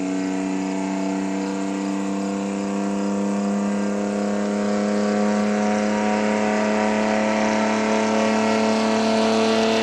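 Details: Chevrolet D60 truck with Detroit Diesel 4-53N two-stroke engine at the 3,000 km service: deep, steady drone whose hum climbs slightly in pitch, even firing, no knocks; normal healthy running.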